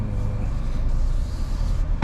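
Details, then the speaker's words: 2018 Toyota Camry 2AR-FE automatic after replacing a flex plate cracked around the bolts, AC on: low even idle with no knocking or ticking, only a short bump near the end; knocking gone. "so there Kamaster there's no noise in the engine even if we turn on the ac"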